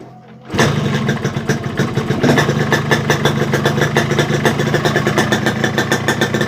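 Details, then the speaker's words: Yamaha RX King two-stroke after reed membrane setting; all four reed petals had leaked, causing no idle and heavy bogging low throttle. Now catches, settles into steady even burble with crisp pulses; idles and throttle responsive, normal idle. "untuk gasnya itu udah responsif banget beda sama tadi ya Tadi Tuhan karena membernya bocor juga tidak mau langsam ini sudah langsam juga"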